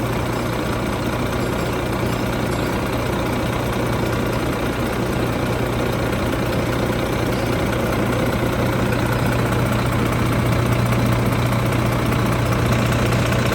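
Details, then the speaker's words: Volvo FM truck diesel, 13 years old, 794,515 km, in for an oil pressure fault code: cold engine ticking over with a steady, even low hum during a mechanical oil pressure check; idle sounds normal. "Âm thanh có vẻ bình thường Vâng , nó có vẻ hoạt động tốt,"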